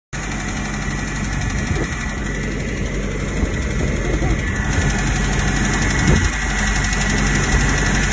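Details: 1993 Toyota 22RE, 5-speed, 199k miles: sudden rattle plus knocking at steady idle after power loss; oil pressure 60 PSI cold, only 5 PSI at warm idle, 20–30 PSI at 2–3k rpm; warm idle 750–950 rpm; recent tune-up, thermostat, coolant.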